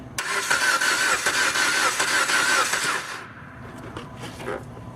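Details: 2011 Jeep Compass cranks but won't start, no spark: steady even cranking for about three seconds without catching; caused by an open in the ASD relay circuit, relay terminal completely corroded.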